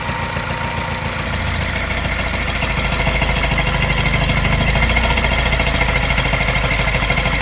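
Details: Mini N12 engine, not cold but not fully warm, fast idle after new cat and O2 sensors: steady idle with a light regular tap about three per second coinciding with a mild pulsing miss; cause unknown.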